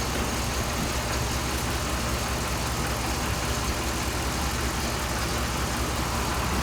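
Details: 2007 Dodge Ram 5.7 HEMI V8 after water pump replacement, warming up while air pockets bleed out, coolant about 140°F at thermostat; low even steady rumble, no rattles or squeals; healthy.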